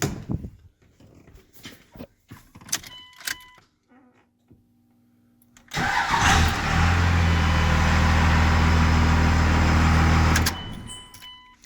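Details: 1998.5 Dodge Ram 24-valve Cummins turbo diesel after fixing self-caused no-crank, no-click fault: a few clicks and rattles, then short crank catches promptly into steady even diesel idle; starts normally.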